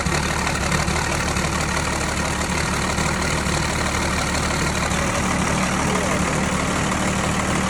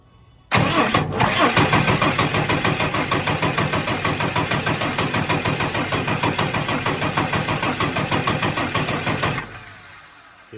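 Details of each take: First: Tucker Sno-Cat with a 5.9 Cummins 12-valve diesel, which previously cranked but would not start (suspected plugged fuel pickup screen), now running at idle after repair: steady, even diesel clatter with a constant low rumble and no misses or knocks. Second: Tucker Sno-Cat with a 5.9 Cummins 12-valve diesel, stalled at season's end and sat over a month; it would start and die, now only cranks. Steady starter churn about three compression beats a second for nine seconds, no catch. Plugged fuel pickup screen suspected.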